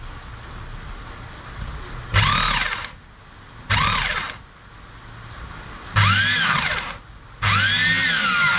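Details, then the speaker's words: Ramset rotary jack hammer after piston repair, test run: four short trigger pulls, each a clean rising motor whine with steady hammering, no rattle, grinding or pounding; sounds healthy. "repair the hammer basically the Piston problem so no sweet no pound BR is not cont you can hear sound very healthy"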